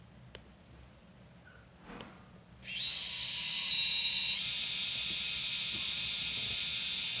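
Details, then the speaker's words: Betaflight 4.0.2 quad on a Sunrise Cicada 30A F4 all-in-one, props reversed, spun from the Betaflight motors tab: a clean high whine stepping up to a steady higher pitch, smooth, no vibration. Normal motor spin, though the owner reports the motors twitch and get hot when armed. "I'm in the motors tab I'll show you that the motor spin smoothly"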